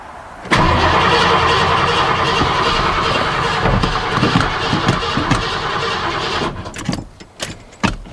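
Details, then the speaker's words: 1986 Ford F-150 5.0 L, after adding fuel: steady starter cranking about three beats a second for six seconds, never catches; cranks but won't start, not just low fuel, fuel pump power/ground and fuses to be checked. "we clearly have a different issue it's not just uh low fuel or the fact that there was no fuel in the tanks"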